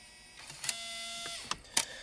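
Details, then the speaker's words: 2003 Pontiac Grand Am GT factory CD stereo: short motor whirrs and sharp clicks as it spins the disc oddly but won't take it in; owner plans to replace the CD drive, possibly from a donor stereo. "but this is a whole other issue um because this it won't even take it and somehow it spins it really weird"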